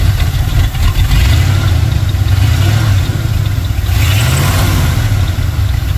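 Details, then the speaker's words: Carbureted engine after fitting a throttle return/kick-down spring, exhaust not yet complete: low idle wavers and surges unevenly. Owner thinks it runs a little lean and the timing is slightly off, idle and throttle may need adjusting. "As you can see, it's running a little lean. Might to mess with the idle and throttle."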